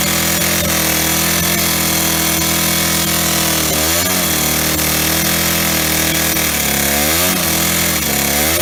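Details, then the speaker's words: Old Stihl 08S two-stroke chainsaw, first start in a while on old gas: screams then bogs in the cut, loud and low on power; knocking suspected from top or bottom end. "so it's definitely knocking and uh either on the top end or bottom end she's quite loud there she's uh very low on power she really struggled with that log there"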